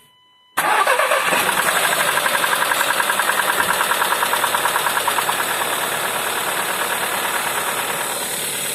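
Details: VW 1.4 TSI CAVD engine, cold start: it catches and settles into a fast, even ticking knock over the idle, easing slightly as it warms; cold-start knock, cause unclear.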